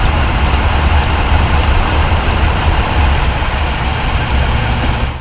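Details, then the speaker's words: Lifted 3rd-generation Toyota Tacoma, GoPro clip while driving after wheel refitted; month-long grinding from driver-side CV axle area gone, likely debris behind brake dust shield. Steady road rumble and engine drone, no grinding; normal wheel running. "but again what I didn't show was after I did that driving the truck it went away the noise went away and I'm gonna show you guys a GoPro clip of how it sounds now"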